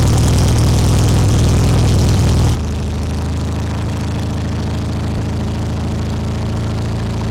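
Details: 1972 VW Super Beetle after electronic ignition conversion: loud engine settles to steady lower idle with even pulse about four per second while timing is reset with timing light; choke and idle screw questioned.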